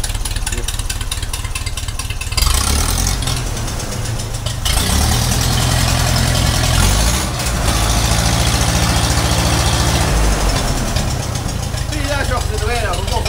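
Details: 1956 Ferguson 20 TVO tractor first running after 8 years, after changing leads, cleaning distributor and fuel tank, replacing a spark plug and recalibrating carburettor, charging light out: steady even low beat idle, no misses or knocks.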